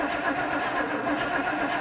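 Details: Engine cranked on the starter with ignition disabled to prime oil pressure and fuel to the carburetor: steady, even churning rhythm with no firing, then abrupt stop; oil pressure came up.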